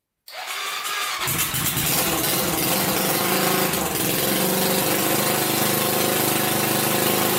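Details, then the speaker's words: 1999 Honda 400EX quad, carbureted, first start with a newly fitted turbocharger; engine runs uneven and lumpy with an irregular beat, sounding starved; owner suspects it is not getting enough fuel and the carburetor needs pressurizing; rough running. "it's just probably not getting enough gas"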